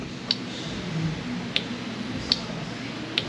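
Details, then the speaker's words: Automatic transmission solenoid on the shop truck, switched on and off from a computer during a torque converter diagnosis. Four crisp single clicks about three-quarters of a second apart in a quiet room. Normal solenoid operation; the torque converter itself is suspected. "what I'm doing here here is I'm turning this solenoid on and off I can feel"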